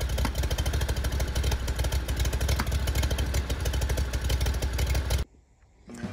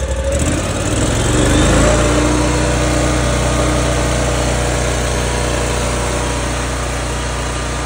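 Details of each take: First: 2019 Ferris IS3200Z zero-turn mower, 37 hp Briggs & Stratton EFI with Delphi high-pressure fuel pump, about 1,500 hours, losing power on hills, backfiring at high idle: uneven stumbling beat about three pulses a second with popping, then cuts out; failing high-pressure fuel pump. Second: 2019 Ferris IS3200z zero-turn, 37 hp Briggs & Stratton EFI, about 1500 hours, previously losing power and backfiring at high idle; started after a repair step with the air intake reconnected: catches, revs briefly, settles to an even run, no pops or surging. Normal running.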